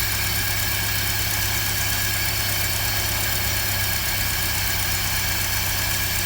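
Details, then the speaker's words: 1955 Land Rover Series One, rebuilt 66-year-old engine running after fuel pump work: steady, even idle with a constant low beat and no misses or knocks, running very smooth. Normal idle. "so yeah she runs and for a 66 year old engine she's running very smooth"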